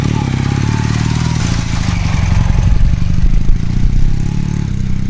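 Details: 1981 Honda CM400C vintage twin, all original, at idle: a deep, even, steady putter with regular firing pulses and no knocks or rattles. Normal, smooth-running idle.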